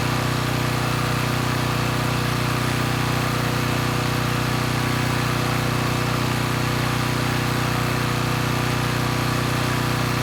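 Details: Coleman Powermate Pulse 1850 generator (model PM0401850, engine 93412-0136-01 built June 1996) after carburetor repair, running in driveway without load, speed being raised toward 61.5–62 Hz; steady even drone, no surging, normal running, though the needle may be letting extra fuel drip.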